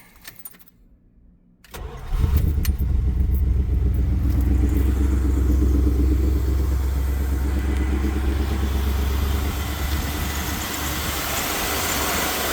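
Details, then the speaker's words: 1975 Dodge Charger SE, 360 V8, automatic: cranks and catches into a loud, lumpy idle with a puffing, raspy edge at the exhaust. Exhaust leak; owner thinks the muffler is rattling loose. "you can probably hear it in the video, but it does have a bit of an exhaust leak. I think the muffler's rattling around a little bit. It's got a bit of an exhaust leak."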